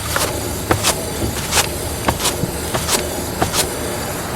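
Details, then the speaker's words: 2001 Buick LeSabre, car in neutral, front wheel spun by hand: rhythmic grinding, whooshing scrape from a bad wheel bearing in early stages of wear, whole hub assembly to be replaced; at 60–70 mph it rings like a freight train. "yeah what you're hearing is that grinding sound I'm going to put the camera a little closer so you can hear it even better"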